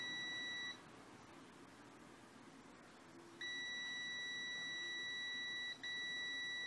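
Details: Extech EX355 multimeter on continuity with probes connected and display showing readings: high steady beep cuts out for about three seconds, returns, then drops briefly again; intermittent continuity beeper dropout.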